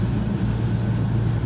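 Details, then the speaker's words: 2004 Dodge Grand Caravan 3.3L V6 blower motor running full blast with a replacement resistor plugged in: steady, even rush of air and hum, no rattle or squeal; normal operation. "there we go we have a full blast that's okay let's turn the speed down you can hear the sound"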